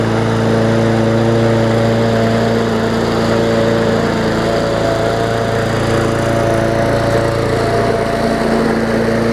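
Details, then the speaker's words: 2014 Bolens push mower with Briggs OHV engine after fitting correct spark plug and replacing missing carburettor jet ball plug; steady even buzz at constant speed, no surging or hunting; normal smooth running. "so sounds good we'll let it run for maybe 10 minutes or so i'll top it off with oil"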